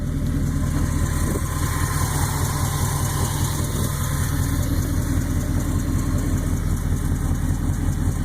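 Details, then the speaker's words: Rebuilt V8 in a 1966 Ford F100, about 3,000 miles since rebuild, idling with a quick, steady tick like a lifter over the rumble; traced to an exhaust leak under the manifold, felt puffing. "a tick tick tick tick it's an exhausted I kid you not it's ready it's right under on that manifold I can feel it go puff puff puff"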